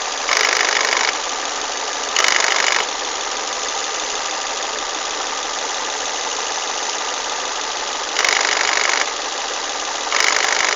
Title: Broken VVT wheel in volvo s40 strange noises